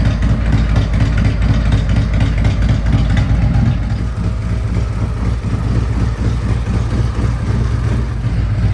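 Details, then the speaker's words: 2024 Harley-Davidson CVO Road Glide, Stage 2 with Cycle Rama CR565 cam and Thundermax tuner, warmed to 180 degrees, everything in spec: loud deep loping V-twin idle, steady beat, no ticking, knocking or misses; healthy warm idle. "Okay, the bike reached 180 degrees. Everything's in spec."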